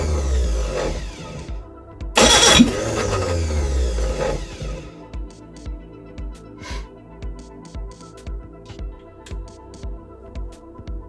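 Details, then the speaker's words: Reliant Regal Supervan 3 engine on the workbench, cranking with weak pulses about four a second and a sharp pop back through the carburettor as it nearly catches; two ignition leads were on the wrong way round. "tonight you're really trying to go that's all right getting a bit of backfire at this carb"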